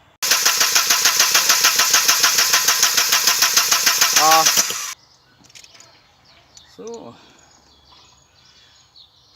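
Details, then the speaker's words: 1992 Audi 80, intermittent no-start: starter cranks evenly about three turns a second for nearly five seconds, never catches; no pump heard priming at key-on, plugs dry, no fuel at injectors; bad fuel pump. "Så där, vi sätter på tändningen och ser om den primar. Tändning på. Ingenting. Ingenting. Ingenting alls."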